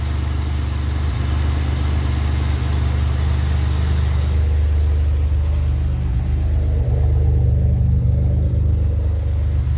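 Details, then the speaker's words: 2007 Pontiac Grand Prix supercharged petrol engine on first startup after rebuilding the FSIC, intercooler running, 66° intake air temp, slight exhaust leak noted; steady even idle with no knocks or misses, running smoothly. "Oh yeah, she's running great. 66 intake air temp. Love it."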